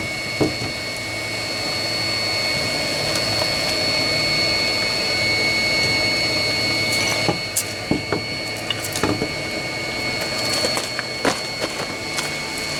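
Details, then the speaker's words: 16 kW Chinese diesel water heater (engine block preheater) warming cabin radiators in −14° winters, 12 V with thermostat switch; steady muffled burner roar, faint whine, odd click, quieter with lid on; normal running, no knocking or surging. "as you can tell that makes it a lot quieter yeah right go look at the radiators should capatch the end of the shutdown sequence in a sec as well"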